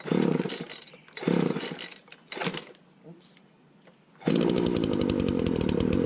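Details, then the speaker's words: Wheeled walk-behind string trimmer without air cleaner, primed, just after throttle fix; short bursts that die once choke is off, then steady buzzing run. Lean low-speed mixture. "Notice how it would die once I took the choke off. So we gotta open up the low speed."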